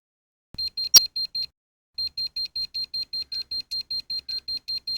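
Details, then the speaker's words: Electromagnetic radiation tester gives high chirping beeps about four per second, pausing then resuming, as it detects electromagnetic fields near a guitar workspace; EMF tester alarm. "I'm using an electromagnetic radiation tester to show where the electromagnetic waves are coming from."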